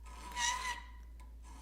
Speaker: You hear that horrible noise it's making? That's chatter. Files chatter just like milling cutters do if the work isn't properly supported.